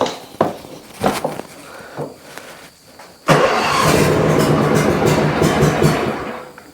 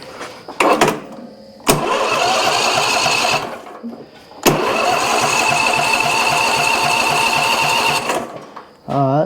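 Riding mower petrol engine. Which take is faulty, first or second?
second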